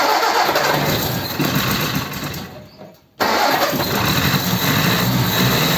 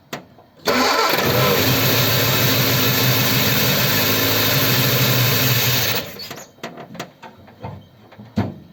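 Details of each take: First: Ford 100E project car with non-charging issue, after refuelling: brief drop in sound, then the engine catches and settles into a steady idle without stumbling or misfiring — normal start and idle. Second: Ford 100E cold start after adjusting tight charging-regulator contact gaps; catches and runs evenly about five seconds then cuts out; spark present; engine stalls from fuel pump failure.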